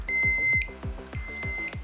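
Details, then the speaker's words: Ox-Lock anti-theft trailer hitch lock, armed after key turn and loud beep: sharp knocks from tampering, then two high electronic beeps about a second apart, the tamper warning before the siren. "If anybody messes with this here, you hear the beep again,"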